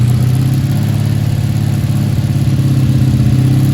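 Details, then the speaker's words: 1984 Honda V65 Sabre VF1100S, just started after sitting outside a couple of months: low, lumpy idle that wavers and stumbles instead of settling; owner suspects dirt to work out. Rough uneven idle. "got some dirt to work out doesn't she she pushing something through"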